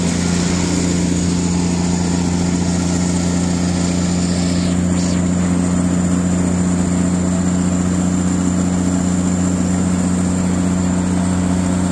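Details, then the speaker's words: Katolight 110 kVA three-phase diesel genset running outdoors: steady even drone with constant low hum, no knocks, misses or hunting; runs great and came up to temperature. "But yeah, it runs great. It came up to temperature."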